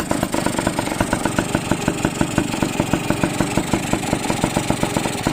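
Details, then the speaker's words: Motorcycle after engine overhaul, sound check at idle: even quick idle pulse with steady exhaust chuff, no top-end knock or rattle; engine quiet and healthy. "Rep natin, rep. Tahimik naman makina. Tahimik makina yan oh."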